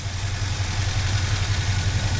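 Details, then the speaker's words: 1966 Dodge Coronet, original 318 Poly V8, points ignition with a new distributor: low, lumpy idle with uneven pulse and slight wobble in loudness; rough idle, owner suspects plug wires or plugs. "got a little bit of a rough idle sure that can be fixed remedied something but the uh you know i'm sure we're running points"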